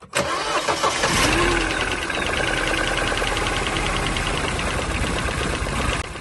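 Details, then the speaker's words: 2010 Mini Cooper, 1.6 R56 engine of about 120 hp, bought from Copart: it cranks, catches and settles into an uneven, lumpy, stumbling idle, misfiring badly, before fault codes are read. "And as you can hear, it's misfiring pretty bad."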